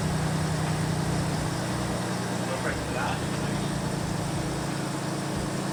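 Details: Freshly rebuilt Toyota Prado 5VZ turbo V6 (Haltech), overhauled after two bent conrods caused a bottom-end noise: steady, even idle with a smooth low drone and no knocking or ticking. Healthy.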